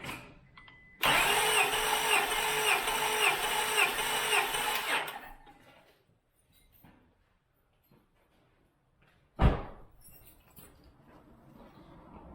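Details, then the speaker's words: 2000 Acura 3.2 TL, J32A1 V6 at 623,264 miles, original valves, heads never off, compression test cylinder 6 at wide open throttle: about four seconds of steady, even cranking, no misses; reads about 205 psi, healthy. "Oh, the gauge bounced out. Well, that's good. We got about 205 out of that one."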